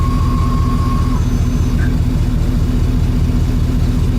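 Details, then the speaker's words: 2006 Ford F-150 with an electronic returnless PWM fuel pump, idling during a pump stress test; steady high whine for about a second, then abrupt cutout; above 50 the pump circuit shuts off, suspected failing pump or pump control module. "Listen to the pump. Hear that? I don't know that that's necessarily a problem."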